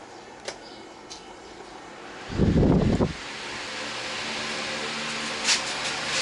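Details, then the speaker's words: Britânia fan just after its motor was rewound, switched on and cycled through high, medium and low speeds before varnishing: a switch click and brief clatter, then a smooth, even hum with no ticking or scraping, running normally. "Velocidade forte, média e a baixa."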